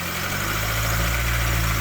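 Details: Proton Wira with an intermittent charging fault; crank pulley marks unchanged and charging coming in, battery weak: smooth, low, even idle with no misses, rattles or belt squeal; normal idle.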